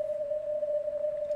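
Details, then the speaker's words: Ham radio CW receive: steady clean ringing tone around 600 Hz over quiet hiss, sounding like filter ripple but actually RF interference from a switching laptop power supply. "i'm gonna just tell you this ringing you're hearing right now is not filter ripple i'll reveal what it is in just a moment and hopefully it'll help someone out there"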